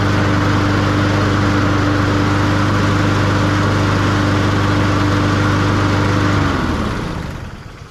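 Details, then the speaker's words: Push mower after spring service (new spark plug, air filter, oil change, sharpened blades), run to check the power drive: even, steady putter, then clean shutdown. Runs healthy, power drive working. "Okay, our power drive is working lovely. So this one's ready for spring."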